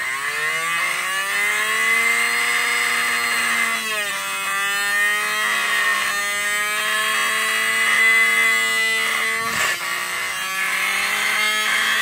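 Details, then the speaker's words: 12 V DC motor, opened, on 12 V supply; steady high whine, dipping briefly then recovering as magnet position changes speed; works perfectly at 12 V. "RPM जो है हमारा जो left right है वो change हो जाता है तो दोस्तों 12 वोल्ट में जो है परफेक्टली काम कर रहा है"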